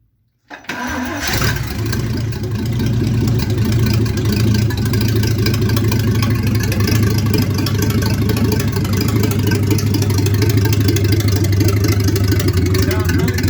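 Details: 1950 Dodge B1 truck, 218 cubic inch flathead six, first fire-up after rebuild work with temporary oil gauge and fuel pumped in: brief crank, then even steady low idle, no knocks or misses. Normal start and idle.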